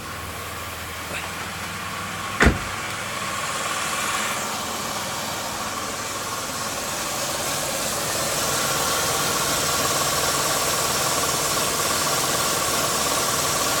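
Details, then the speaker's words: 1999 Pontiac Grand Am 3.4 L V6 after a fuel pressure regulator was replaced to cure a rough, stuttering low idle: after a single click it settles into a steady, even idle with no stumble or hunting. It runs much smoother, normal idle. "oh sure seem to be running a lot smoother yeah all righty so that might have fixed my rough idle problem"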